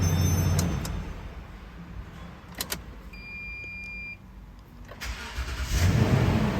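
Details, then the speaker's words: Toyota Sequoia with long-crank complaint from bad fuel pump pressure and filter, after repair: brief quiet with a couple of beeps, then engine catches quickly and settles; clean prompt normal start. "देखेंगे दोस्तों starting जो है बिल्कुल okay हो चुकी है"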